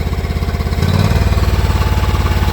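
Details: John Deere X304 mower that sputters and backfires at full throttle under load: steady thumping single-cylinder beat, speed rises when carb cleaner sprayed near intake; owner suspects intake gasket leak or head gasket.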